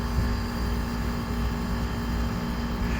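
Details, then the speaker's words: DIY heat pump in a Carrier cabinet with a VFD-driven three-phase scroll compressor, after dealing with the reactor blamed for an annoying hum: steady, even hum and smooth whir with no rattle or grinding; much better. "dude that sounds so much better than it did"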